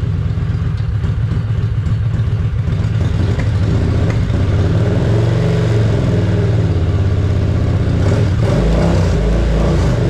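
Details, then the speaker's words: 2005 Kawasaki VN750 V-twin after stator and pickup coil fix, started with no choke, battery showing 12.6 V; deep steady thump settling to an even idle with no misses, running healthy. "so for a motorcycle this is perfect i was so happy"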